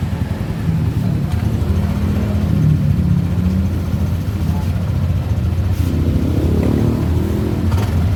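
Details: Yamaha Nmax scooter after gearbox/final-drive (gardan) service for heavy vibration: low, even engine rumble with a gentle rev and no rough shudder; owner says it sounds different from the earlier rough "geredek-geredek", now smooth and healthy.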